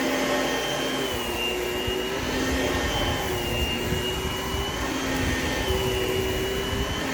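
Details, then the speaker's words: Oreck XL Platinum upright vacuum running on new carpet: a steady motor whine with a thin, wavering buzz on top coming from loose ingest bars that still need fixing; buzzing from loose ingest bars. "I still need to fix a little issue with the ingest bars. You can kind of hear the little buzzing noise that it's making."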